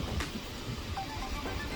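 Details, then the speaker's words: Engine running after bleeding air from the power steering system by turning the wheel lock to lock: low even rumble, the previous power steering pump whine is gone. "notice, the whining noise is gone."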